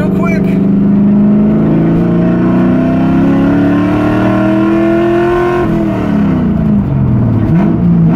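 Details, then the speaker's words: LS V8 in an LS-swapped FD RX7, full-throttle third-gear pull: deep note climbs cleanly and steadily, then drops on the shift; strong, healthy engine acceleration. "yeah how could you not like that jeez man i love lsa so i've always loved the sound of a v8"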